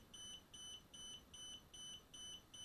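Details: DJI Spark remote controller after power-on: high double-pitched beeps repeat steadily about every 0.4 seconds, LED alternating red and green; constant warning beep, not a connection or calibration issue.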